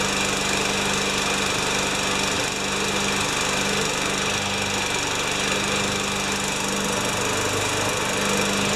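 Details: 5HP Tecumseh mower engine after the carburetor's hidden second hole was reamed clean and a new primer bulb fitted: steady, even single-cylinder buzz at constant speed, no surging or misses; running normally.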